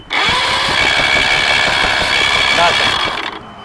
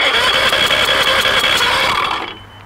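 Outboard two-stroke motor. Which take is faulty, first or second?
first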